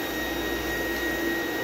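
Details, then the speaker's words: Small "mini vac" vacuum: steady high motor whine with strained, even hiss, no pulsing; airflow barely moving and barely felt, choked like a clogged filter, cause suspected, not confirmed. "barely moving and you can barely feel it at all"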